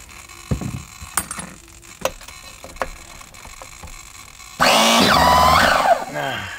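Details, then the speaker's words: Nova B3 nitro RC engine in S-Works S35-4 buggy, heated up, hard to start, last run wet and dirty, lots of oil inside; starter whirs then bogs and stalls at a sticky tight spot, won't turn past it. "won't go past it I've stuck backwards think nearly I think that was a close one"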